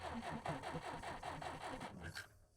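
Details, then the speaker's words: Jeep sitting abandoned 25+ years, cranked in neutral with ignition off so the coil gets no power: starter spins about five even compression pulses a second with no scraping or binding; engine turns over freely. "That's a good sign. And now it'll turn over."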